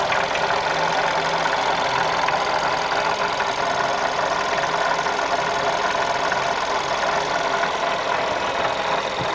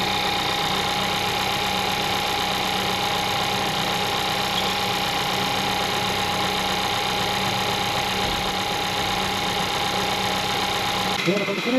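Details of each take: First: 2012 VW Golf Convertible 1.2 L petrol, 100,000 km, coolant below minimum and leaking: constant gritty whirring hiss over idle with no knocking rhythm; engine fine, water pump bearing noise. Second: 2012 VW Golf Convertible 1.2L petrol, 100,000 km, after water pump replacement for an annoying engine-bay noise: smooth steady idle with even hum, no whine, chirp or rattle, no leaks; repaired.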